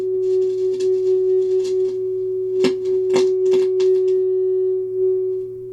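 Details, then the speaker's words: Hybrid tube and solid-state audio unit with working reverb section: steady test tone with crackle and scratching as knobs turn, from dirty, scratchy control potentiometers; the fix is contact cleaner sprayed in while working the controls. "so no problems there the reverb section is definitely working so lots of scratchy controls as you can see"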